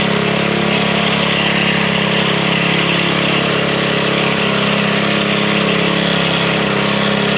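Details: Lawn edger single-cylinder engine after draining a few drops of old fuel from the fuel line: fired right up, steady even patter at constant speed with no misses or surging; stale fuel was the cause of the no-start.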